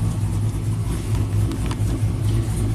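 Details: 2000 GMC Sierra 5.3 V8, tuned with cam and exhaust, setting P0336 despite a new OEM AC Delco crank sensor: uneven stumbling revs that sometimes won't rev up, misfiring from a crankshaft position sensor fault.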